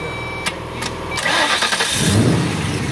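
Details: 2004 Ford Mustang V6-to-V8 swap with a replaced engine computer, reprogrammed key and a no-start issue: a few starter clicks, then the engine catches about a second in, flares and settles into steady idle; it now cranks and starts.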